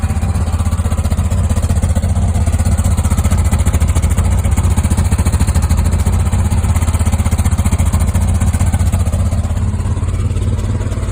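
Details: 2002 Jeep Liberty at idle: fast even light tick over the low engine note, suspected lifter tick, cause not confirmed.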